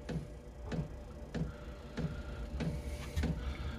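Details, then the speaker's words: Diesel heater newly installed in a Foxbox, start-up after the fan comes on: dosing fuel pump gives crisp single ticks about every 0.6 seconds over a quiet hum; working normally. "the next stage will hear you'll probably hear the fuel pump working next there's a fuel pump starting go now"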